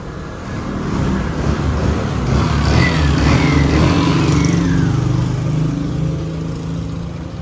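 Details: Honda Navi scooter after repair of earlier strange noises and heavy smoke: engine revs up and settles back down evenly, steady buzzing with no knocking or rattling and zero smoke; normal running.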